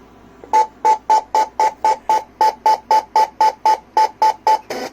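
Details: Panasonic 3DO console with a broken button and some corrosion: rapid steady beeping, about four short tones a second, at power-on instead of booting; owner suspects corrosion shorting something, not confirmed.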